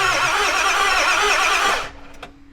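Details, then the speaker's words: 7.3 Powerstroke turbo diesel E350 van, long sitting, in neutral: nearly two seconds of fast even cranking that never fires; owner suspects IPR valve, cause unconfirmed; cranking no-start. "it start it all right doesn't start we made it we land start video and it doesn't even start"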